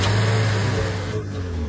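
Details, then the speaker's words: Secondhand car that would not start at night but started by day, after repair with parts reinstalled: starts quickly and settles into an even, steady idle with no misfire or stumble; normal start and idle, problem solved. "look the engine runs very smoothly the problem has been completely solved"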